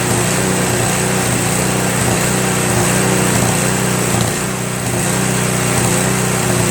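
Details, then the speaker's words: Craftsman Trac Plus 23" snowblower, 5HP Tecumseh, after a year's storage: at full run with choke fully off, slight surge, pitch dips and recovers; one click of choke stops it. Owner suspects debris in the carburetor bowl. "so while it runs really well if you have it on full run the choke completely off there's a slight surge to it you know what I mean a slight surge then you'll just click it one click to the middle and it won't surge anymore"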